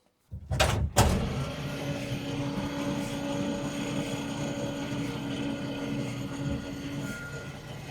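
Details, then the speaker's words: 1947 International truck, spark plugs out, cylinders found full of water rather than gas; fast, even whirring crank with no compression beats to blow water out before drying plugs. "Ain't a bit of gas there nowhere. Nope. It's water. So let me crank it over, see if I can blow some of it out."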